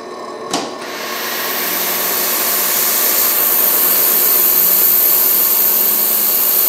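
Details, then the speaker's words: Hengli HSA1505 belt furnace, ultrasonic cleaner for the belt bottom switched on: click, then a hiss building to a steady high-pitched buzz that holds even; ultrasonic tank working normally. "Turn the motor down a little bit so you can hear the fans. And then you can turn the ultrasonic cleaner on."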